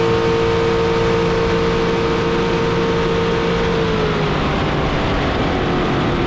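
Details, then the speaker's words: Carbon fiber jet boat with rebuilt 632ci all-aluminum big block Chevy, about 1200 hp, on a lake pass: steady strong roar under water and wind rush, pitch dropping smoothly as throttle eases; normal running at speed. "God, that boat sounds so good."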